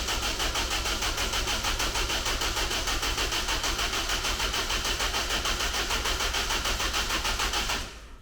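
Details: Ninety after engine change, on choke with oil pressure confirmed: starter spins at a steady normal pace, about three pulses a second, but it never fires. Spark to be checked.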